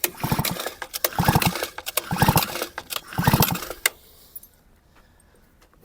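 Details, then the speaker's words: Grass trimmer or chainsaw two-stroke that stalled when warm, after installing new crankshaft seals, hand-pulled three times: each pull gives a crisp burst of firm pops, then silence; normal crankcase compression and seal. "Я думаю, відчувається. А тепер дують хлопки такі пух-пух-пух."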